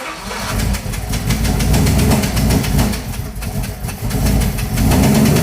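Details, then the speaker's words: 1967 Chevrolet Camaro "Crusher" with freshly installed 550 hp small-block V8, Thermoquad carburetor and TH350 transmission, first fire-up: brief crank, catches cleanly, settles into steady even rumble with no misses or backfires; healthy start. "so now it should crackle immediately to life right I think"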